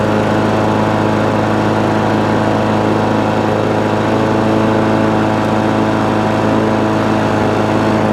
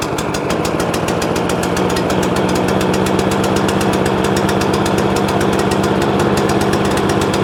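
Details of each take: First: Free scrap lawn mower, cold start after about 10 primer pumps to clear water in the fuel, reportedly not running before: fired straight up, bit smoky, steady even note at constant speed, no misses or surging; running cleanly. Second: Free scrap overhead-valve mower engine after main jet work: uneven, stumbling chuffing at fast idle, running as if on choke. Owner suspects the spark plug. Misfiring and running rough.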